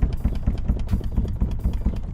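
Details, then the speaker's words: 2015-2020 Cadillac Escalade/GM SUV liftgate, closed and shaken by hand: hollow clunks about four times a second; loose liftgate rattle, striker not the cause, fixed by adjusting side bump stops. "so that was all the noise it was the lift gate shaking"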